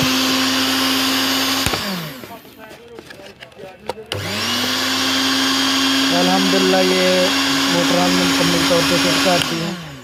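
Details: Moulinex grinder/blender juicer after its burnt motor was replaced with a new copper-wound motor: steady high motor whine at one even pitch through two runs, spinning up and coasting down cleanly, no grinding or rattle: normal running after repair.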